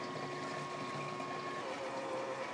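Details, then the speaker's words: Fuel transfer pump filling the Hcalory TB MAX diesel heater tank with diesel, tank up to about 45%: soft steady electric hum that drops in pitch partway through, no rattle; pump running normally. "That noise is the uh pump I've got."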